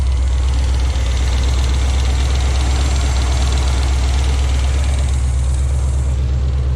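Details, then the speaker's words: 1977 Oldsmobile Cutlass V8 just after new exhaust gaskets fitted, quieter under hood: loud, rough, lumpy idle with stumbling low thump; two cylinders not firing. "Tell that as soon as it fired up. Then we got two cylinders that aren't even firing. Funny."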